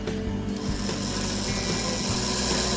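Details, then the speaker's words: Aurora slot car chassis on transformer: small motor whirs with rough uneven buzz, speeds up when brush spring is pressed; poor brush contact on commutator plate, needs brush adjustment. "okay there we go you hear how just that little bit of pressure increases the speed there so we're going to have to take this apart and adjust that to where the the brush is hitting the bottom of the comp plate"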